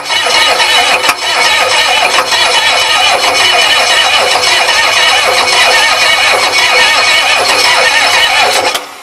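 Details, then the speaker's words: 6.9 IDI diesel on bench test before truck install, after mild overhaul, new glow plug relay, timing suspected poor: sluggish labouring crank nearly nine seconds, never fires; turning too slowly, starter suspected failing, overheating. "I know it's not turning fast enough but now that I got the glow plugs I might I figure I might be able to just get it to rock"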